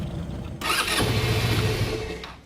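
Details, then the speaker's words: Genuine Buddy 125 scooter, first start after carburetor service with drained fuel and vacuum petcock: fires and runs roughly under two seconds, then dies; float bowl not yet filled, not a fault. "It might light for a second and then die right away. That doesn't necessarily mean there's an issue. You still might just need to fill the float bowl."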